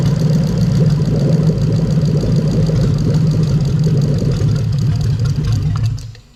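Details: Toyota 3UZ-FE VVT-i V8 (LS430 2000-2003) running on a test engine harness with zero codes; smooth, steady low rumble with an even beat and no knocks or ticks, then it shuts off cleanly; a healthy idle.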